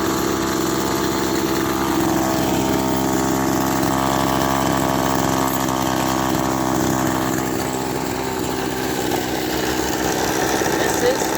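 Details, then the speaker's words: Echo SRM-200BE two-stroke string trimmer that was not running properly, with suspected carburetor issues. It buzzes steadily at a high, even speed with no dips; the idle seems fast, possibly out of adjustment. Unconfirmed. "is spinning now the idle does seem to be a bit fast but um I'm not sure it could be out of adjustment"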